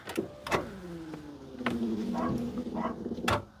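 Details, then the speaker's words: Smart ForTwo with a previously seized alternator, cranked on a booster pack in neutral: strained starter whine sags in pitch between clicks and never catches. Owners suspect not enough power and consider a bigger battery or jump leads; cause not confirmed. "interesting that sounds like not quite enough power doesn't it"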